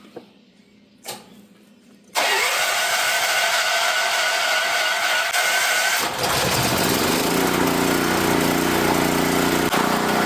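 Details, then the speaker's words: Auction generator, previously seized with a water-filled tank, started on choke with filtered fuel: a couple of pulls, then it catches and settles into a steady even run with no misses, knocks or smoke. "Okay, that runs surprisingly awesome. It doesn't even smoke or anything. I cannot believe it."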